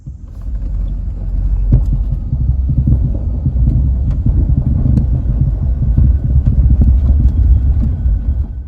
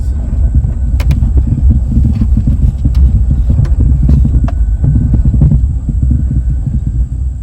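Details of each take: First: 2002 GMC Sierra driving after a new steering shaft bushing, sway bar end links and sway bar bushings: low road rumble with only scattered light ticks, no front-end clunk or rattle; steering and suspension sound tight. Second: 2002 GMC Sierra pulling out of a gravel parking lot onto the street at crawling speed: irregular sharp clunks over a low truck rumble from a worn steering shaft/column bushing, which is then replaced.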